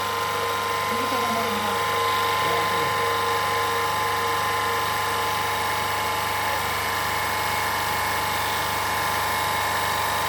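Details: Autopramie AP-JC9000 industrial pressure washer with green spray nozzle, power raised from its lowest setting, recorded without an external mic. Constant electric hum with an even, rapid pump pulse about four beats a second: running smoothly and normally.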